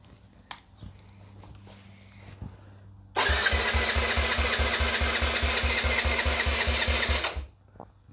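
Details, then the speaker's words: Nearly 40-year-old Yamaha Badger YFM80 ATV after a full rebuild, choke on, cranked with the engine off to prime before first start: the starter turns it over briskly and evenly, about six compression beats a second; healthy cranking. "I'm going to crank it over one or two times with the engine off so like kind of primes it"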